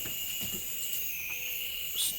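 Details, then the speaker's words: Model Farm Boy hit-and-miss engine (Jerry Howell design), first-run attempt, air-pressure test at 20–50 psi: thin steady high-pitched hiss of air leaking past the seal; leak quieter than last time but not fully resolved, still holding back a lot of pressure. "i don't think i've fully resolved going up to 20 psi not quieter than last time so definitely an improvement 40 psi so that's on 50 and you can hear the leak"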